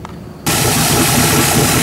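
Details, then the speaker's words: Engine fired up with a 750 Holley carburetor just bolted on, fuel pump on and floats checked for running in and tuning: catches immediately and settles to a loud, steady, even idle with no stumbling or misfire; healthy. "all right there she is she's good to go tune in I got out of about 1780 200 so to be able to fire it right up"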